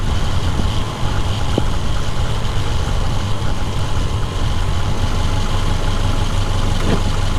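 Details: 2010 Subaru Forester after water pump replacement, warm idle: deep even idle with steady low rumble, no knocks, ticks or squeals; running smoothly.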